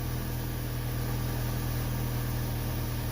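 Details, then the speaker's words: 2005 Chevy Cavalier 2.2 four-cylinder, 322,000 miles, just after replacing the intake gaskets, oil pressure switch and crank sensor for a P0301 misfire. It fires right up, unusually quickly, and settles into a smooth, even idle with no knocks, ticks or misses. "so going to fire it up wow fires right up usually it does a couple revolutions before firing up"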